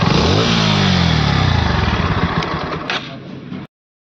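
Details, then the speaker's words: Bajaj Pulsar NS160 single-cylinder, compared with a viewer's bike suspected of heavy engine sound: even rapid beat rising with a throttle blip then settling; both sound the same, rumble likely phone recording; normal running. "इस हिसाब से देखने जाऊ ना तो दोनों तरफ दोनों आवाजें सेम टू सेम ही लग रही है"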